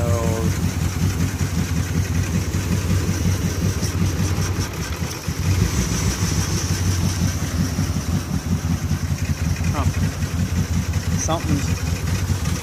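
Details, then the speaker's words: 2008 Ram 1500 4.7L with P0300 code, low fuel, idling: rough, lumpy, stumbling exhaust beat; idles better with brake booster unplugged, then rough again; all injectors tested spraying, fuel smell in exhaust; misfire at idle, cause unconfirmed. "See how it's like idling better? I unplugged the brake booster. It's going rough again."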